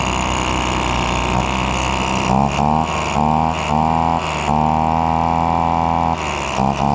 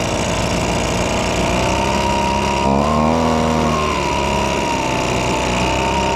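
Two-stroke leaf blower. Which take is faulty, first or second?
second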